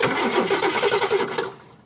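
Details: 1969 Cadillac Eldorado V8 with 21,000 original miles, stored 15–20 years: quick, even starter cranking of about eight pulses a second for over a second while the fuel pump suction is checked, never catching; cranks without starting, fuel supply suspected.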